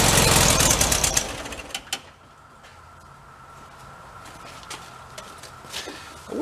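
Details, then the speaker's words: 1974 VW Thing, 29k miles, sat at least six months, weak battery: about a second of fast even cranking with no firing, then silence; owner suspects out of gas or float bowl still filling. "think it's out of gas but could be trying to fill up the float ball"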